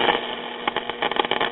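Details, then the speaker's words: RCA Institutes AM tube radio: after swapping back transposed IF amplifier and audio tubes (6BA6/6AT6), clear speaker audio with light hiss, no hum or distortion; set now sounds much better. "i thought that looked a little funny whenever i was first giving this chassis once over okay that sounds a lot better"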